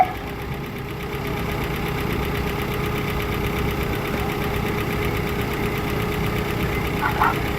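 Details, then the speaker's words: Possibly Oldsmobile Alero-type car with 2.2 L engine at idle: light, fast, steady ticking about four per second over smooth idle, suspected lifter noise; owner wonders if oil is too thin or changes were skipped. Ticking at idle. "this car does sound like it has a little lifter noise take a listen now this car does sound like it has a little bit of lifter"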